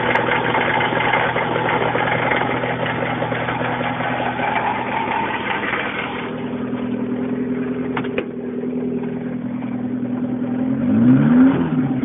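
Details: Suzuki Samurai engine at idle: steady idle with a faint uneven beat over the note; abnormal noise, cause unknown.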